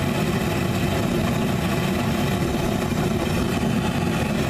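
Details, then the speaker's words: Homemade Frosty T burner, short nipple with big bell, regulator wide open, full air: loud, steady, even roar with no surging or popping; burner running stable. "stable you can hear it stable W stable wish yeah"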